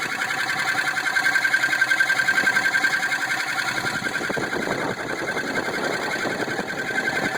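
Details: 2002 Jeep Grand Cherokee 4.7 V8: a rapid ticking of about three to four clicks per second that doesn't change with distance driven and gets quieter at higher speeds. Full power, no misfire and good oil pressure; the source is unknown.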